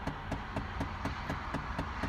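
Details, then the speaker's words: Chevrolet Impala: steady tapping, about four light clicks a second, from behind the dash on the passenger side, from a failing HVAC (AC) door actuator. "So if everybody can hear through the mic, you hear that tapping noise? That is in the AC actuator."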